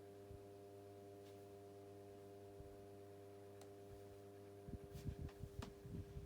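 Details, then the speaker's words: 1990s Pifco 12-inch desk fan, oscillation stopped: smooth even motor hum with a light steady buzz on low speed, some handling at the end; fan running fine. "which possibly yeah has a nice little buzz to it I've listened to that that is seriously proper good"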